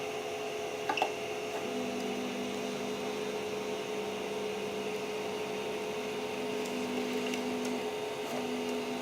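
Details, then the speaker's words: Creality CR-10S 3D printer after fitting steel-and-rubber NEMA 17 stepper motor vibration dampers: soft even motor hum with faint steady tones as axes travel, no harsh stepping buzz; steppers running quietly. "is unbelievable this really is unbelievable so this little thing this is the best upgrade you can do for your printer"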